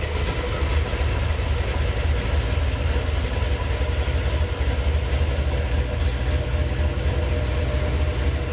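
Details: GM Gen VI L29 454 big-block running on an engine stand with headers, factory ZZ502 hydraulic roller cam cut on 110 lobe separation: deep choppy loping idle, nothing rattling or ticking; healthy motor.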